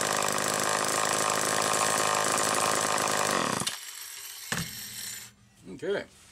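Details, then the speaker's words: Late-1960s Homelite EZ 2.1 cu in chainsaw after repair, warm, no choke, 50:1 mix: fast even two-stroke buzz holding steady idle before shutdown, no surging; crank seals appear good, no leakage, normal idle. "i'm actually impressed with how good this saw idles and you saw there was no change of speed side to side like that so these crank seals appear to be in excellent shape"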